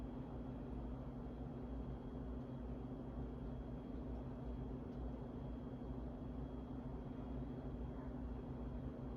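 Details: 52-inch Harbor Breeze Asheville ceiling fan from February 2013, before restoration, still dirty; low steady motor hum with a faint constant tone and no speed change; bad capacitor.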